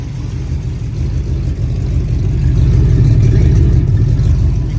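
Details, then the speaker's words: Rebuilt Olds 403 on engine stand with Demon carburetor: deep steady V8 idle, gentle rhythmic lope about three beats a second, not glass smooth; mild cam lope, otherwise clean idle. "I mean it's not glass smooth but man it's damn close you know it's definitely got a cam you can hear it"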